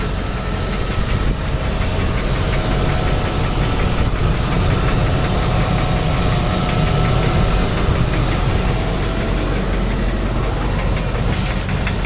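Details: 2001 Land Rover Discovery 2 aluminum engine idling with fast even ticking over rougher clatter, loud clicking louder from underneath; machine shop said head problem needing sleeves, unconfirmed; oxygen sensor check engine light on.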